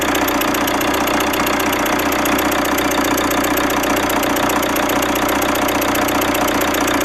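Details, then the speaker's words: Alfa Romeo MiTo 1.3 JTDm diesel with "black death" carbon around injector 4: steady idle with sharp regular ticking chuff over the clatter; sprayed fluid bubbles at number four injector, leaking injector seal, injectors to be removed and resealed. "you can see that there's a lot of bubbles coming from the number four injector so obviously we've got a leak injector there"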